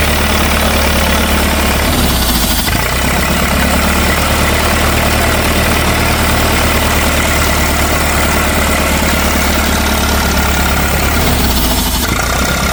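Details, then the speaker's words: 1964 LeRoi 125G1 trailer air compressor, straight-piped, after pressure adjustment: steady engine drone with load shifts about every ten seconds as it reloads; so much air escapes, gasket suspected, that it short-cycles. "All right, we finally got that thing to work. We've just got so much air escaping right away that it turns back on right away."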